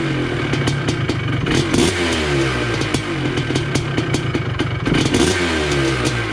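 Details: 1980 Honda CR250 Elsinore two-stroke, restored, first start in a decade, carb not yet dialed in: crisp rapid crackle with throttle blips, firing clean and even; engine running nice and healthy.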